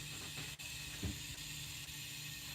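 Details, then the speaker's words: Plymouth engine not starting after rebuild, compression test holding about 70-something: constant airy hiss with faint gauge ticks as air leaks past the piston rings; cylinder won't hold pressure. "it's leaking out of here you can hear that so the Rings are leaking"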